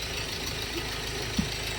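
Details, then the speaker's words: Ford Everest Titanium diesel, recently bought; owner reports it lacks pull and feels held back on acceleration, improved somewhat after fuel filter replacement. Steady, even diesel clatter at idle, smooth low throb, no stray knocks or ticks; mechanic finds engine sound normal. "Sa pakinig ko naman dito sa makina niya mga boss, wala naman akong makitang kakaiba. Condition yun, na wala ka rin pangamba. Wala namang ingay makina yun."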